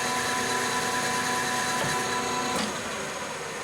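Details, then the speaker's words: Lathe turning heat-treated and tempered 4140 chromoly steel, longitudinal cut at low spindle speed, 0.025 depth of cut: even steady whine with no chatter or tearing; finish relatively smooth, far better than the torn-out annealed stock. "so at low speed the uh the Finish is still a hell of a lot better than the uh the just plain anneal"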